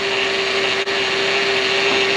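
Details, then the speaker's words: 2006 Mercedes CLS500, engine running: steady mid-pitched whine over the engine hum from the power steering, which is confirmed low on fluid. "what do we have here we have a power steering noise we're losing it"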